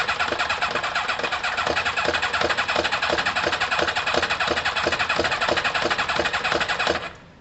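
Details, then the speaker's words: Kawasaki ZL600 motorcycle with new coils, tuned carbs and valves done, after plug leads two and three were swapped: steady starter cranking near three beats a second for seven seconds without a single catch; crank-no-start from wrong ignition lead order. "i'm gonna swap one and four come on no idea guys no idea"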